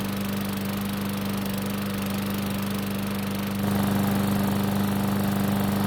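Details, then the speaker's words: Craftsman lawn mower small single-cylinder engine, first start after a carburetor service for a no-start: holds a smooth, steady beat and picks up a little speed partway, with no misses or surging; runs well. "so as you just saw it started up and ran pretty well but the bigger question is how is it going to start back up after running for a couple of minutes"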